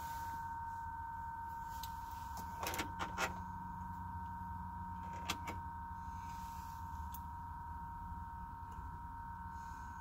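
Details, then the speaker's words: Truck died with a dead battery and won't start even with a new battery: with the key off, a constant high, thin chirping whine comes from the dash vent and stops when the key is turned on; the source is still undetermined. "what in the world is that sound man is bizarre"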